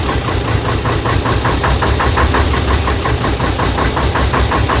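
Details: AEC Matador 7.7 litre diesel on a cold day, after overhauled injection pump and injectors refitted: even cranking chug about 160 beats a minute, uneven puffs never picking up; air in the fuel system prevents starting.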